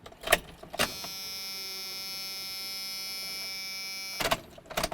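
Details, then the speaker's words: 1994-02 Dodge Ram 1500 after fuel pump module replacement, key turned two clicks to on: a click, then an even high electric whine for about three seconds that stops cleanly; new fuel pump priming normally. "We're going to go ahead and take our key, turn it 2 clicks to the on position, wait until that pump primes the line."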